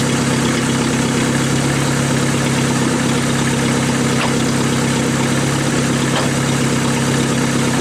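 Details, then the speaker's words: 1988 Dodge Dakota 2.2 L four-cylinder, 5-speed, idling rough and uneven with raspy puffing and the odd sharp pop from an exhaust leak under the truck; the pipe had slipped out of its clamp. "there's about where the exhaust leak is it is getting a little bit soft out fight it sounds so good but I can't leave it like that"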